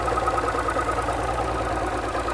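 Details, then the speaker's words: Outboard running in gear after lower unit seal service and new water pump: busy rattly clatter from the lower unit over the steady engine note; cracked prop hub assembly. "well guys I'm sure you heard the clattering on the lower unit that's definitely not right but the good news is it was an easy fix and uh check this out we discovered that the prop hub assembly was cracked"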